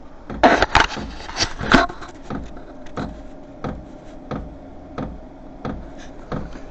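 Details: New VEVOR diesel heater, first startup, fuel pump running: after handling knocks, a light tick repeats about every two-thirds second, owner finds it loud and notes it speeding up; normal fuel pump dosing.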